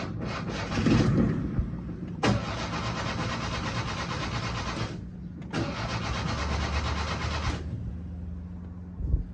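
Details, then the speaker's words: Fiat 850 Spider, first start in ten years after carburettor rebuild, choke pulled: two three-second bursts of steady cranking without catching; turns over but won't fire unless sprayed with starter fluid, cause unknown, fuel pump doubted. "come on and it won't start unless i spray starter fluid in it apparently well i don't know why that is"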